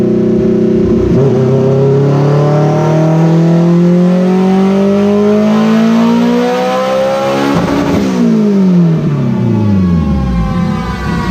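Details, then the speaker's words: Built EG Civic GSR with SheepyBuilt turbo kit and rebuilt Precision 6266 turbo, dyno pull at 10 psi (368 wheel hp, 241 torque), running rich: pulls steadily from low revs through a long climb, boost builds late and sluggishly; wastegate leaking boost. "why is it so lazy to build all right that pull yielded 368 to the tire for power and 241 for torque and that was on 10 psi or boost a feels still rich as hell now this Turbo's lazy we got to figure out what's going on this thing should be spooling before then it's not really ever seeing full Boost"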